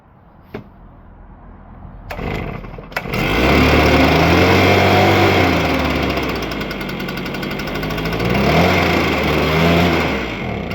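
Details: STIHL BR350 backpack blower after a new carburettor was fitted: small two-stroke fires after a couple of pulls and settles into a steady buzzing run that rises and falls slightly with throttle; running fine.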